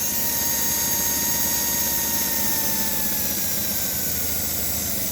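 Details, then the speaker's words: Toy train locomotive with traction tires on rolling road, motor at full 17.7 volts: high steady electric whine, even pitch, no catching or surging; normal full-speed run, backlash set slightly tight. "all you hear is a tiny electric motor screaming for mercy not really it's screaming enjoy because it's let loose it's going out full out 17.7 volts"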